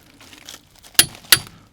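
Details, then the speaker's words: Torque wrench on car wheel nuts set to 108 Nm, second demonstration: two sharp metallic clicks a third of a second apart as the nut reaches the setting and the wrench releases cleanly at its set torque. "And when you hear that click, stop, because you are at the correct torque setting."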